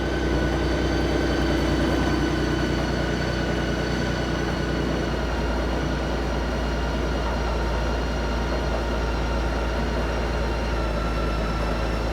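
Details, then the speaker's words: 2016 Honda Gold Wing: smooth, steady low idle hum throughout, no knocks, ticks or misses. Normal idle. "Purring like a kitten. Oh, she purrs like a kitten."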